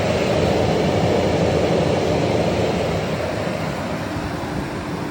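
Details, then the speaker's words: Tesla Cybertruck just back from service, AC off, after over 20 minutes of driving: heavy constant whooshing roar, like battery preconditioning, easing only slightly; cooling fans or compressor running loudly. "I have the AC off and just listen how loud it is he has that sound like when you're preconditioning the battery that's how loud it is"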